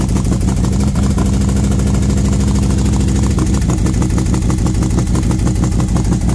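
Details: V-twin motorcycle with SS540 cam and valve springs, after repair where a part popped back into place, warming up at 40°F outside: lumpy, loping even idle with intake hiss, valve tick gone; sounds healthy.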